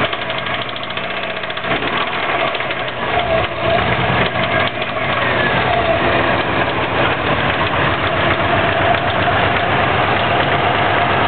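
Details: 2004 Subaru WRX boxer, stage 2 (stock turbo/TMIC/injectors, Enginuity tune, 22 psi), heavy knock after doing donuts on pavement: rough, lumpy idle with a heavy repeating knock; rod knock suspected, unconfirmed.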